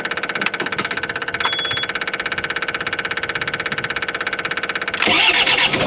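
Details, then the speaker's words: Engine idling after exhaust repair with exhaust refitted: even, steady putter with a soft, muffled exhaust note and no rattles or leaks; definitely quieter, normal idle. "definitely quieter if you ask me all right"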